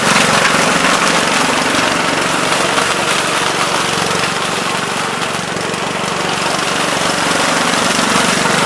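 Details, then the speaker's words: 1970 Gravely Commercial 8 garden tractor, 8 hp single-cylinder, revived after sitting a few years (earlier stuck valve), still cold before warm-up: loud steady single-cylinder chug, no misses or surging; running pretty decent, normal running. "so still running pretty decent i had to just carve just a spin there but uh looks like it's working"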